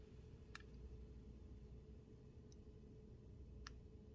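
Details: Brand-new original Miyoo Mini handheld: two faint sharp clicks about three seconds apart over near silence as the unit switches on and off; speaker pop on power on/off.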